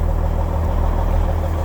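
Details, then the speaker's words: 1999 Kenworth W900L semi with mechanical N14 Cummins diesel at idle after a near-cold start; deep steady even beat with no misses or knocks; runs really well and stable, engine healthy. "on it engine seems to run really well and really stable like when it fires up on a cold start"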